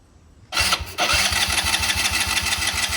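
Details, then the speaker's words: Polaris Outlaw 90 ATV, 2007–2008, left sitting, cranked on a jump box before carb cleaning: after a pause the starter turns the engine with an even chug about two beats a second; motor not locked up, turns freely. "So, the motor's not locked up. All right, looks like this thing will run."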